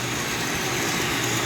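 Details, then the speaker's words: Coleman single-burner liquid-fuel stove at full power after warming the generator: an even, full hissing roar with no sputter or pulsing. The burner is running normally wide open. "I turned it off a minute ago so let's let it warm up a little bit warm up that generator and then of course there you have it on Full"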